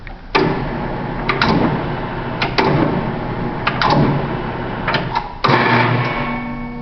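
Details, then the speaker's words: Sheeter's 208 V single-phase geared motor (rated 6.3 A) with start switch stuck in run position; low strained hum with repeated clunks as it tries to reverse, motor cannot start while in run. "Okay, that's the start switch. It was in the run position. I told it to switch, and the motor, when it's in the run position, can't start when it's in the run."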